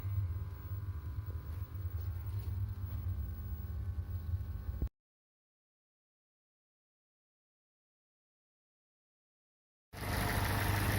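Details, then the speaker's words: Opel Corsa OPC 1.6 Turbo 192 hp after reassembly with block bored for piston knock, forged pistons and rods, new oversize rings: smooth, even idle with no piston knock; normal idle. "что собрал я двигатель завел послушать как он работает четко поршня не стучат можно отдавать клиенту"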